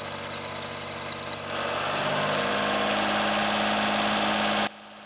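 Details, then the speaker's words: Honda Beat engine idling, heard from below with plastic cover removed: high sharp squeal for the first second and a half, then plain steady idle; alternator belt suspected slipping and sagging, to be tightened. "I can't really tell by looking at it, but it feels like it's slipping a little and it's sagging."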